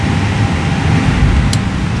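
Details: Aircraft cabin air-conditioning/temperature control system after valve replacement: deep, even airflow rush with no whine or rattle, steady throughout: running normally.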